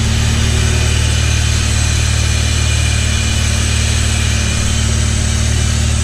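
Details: Honda CT70 with 85 engine, just started cold and left to warm up: steady even idle about three firings a second, no knock or miss, fast idle settling as it warms; normal idle.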